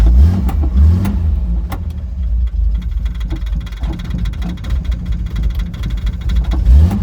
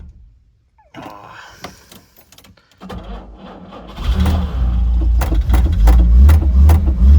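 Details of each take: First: 1968 Jaguar E-type Series 1 convertible, sat about two years: engine keeps going only on repeated throttle blips and won't settle to idle; choke linkage was stuck, freed, now idles. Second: 1968 Jaguar E-type Series 1 convertible, sitting about two years, cranking slowly on choke with an extra battery: catches after a few tries and settles into a steady, even run with revs rising cleanly; healthy, earlier no-start likely old fuel and flooding.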